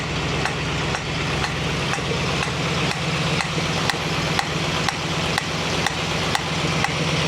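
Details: 1965 Mustang GT convertible after new Tuff Stuff 7068K 140 A alternator: steady sizzling air hiss over idle with light ticks about twice a second, a new sound seemingly from the carburetor; cause unknown.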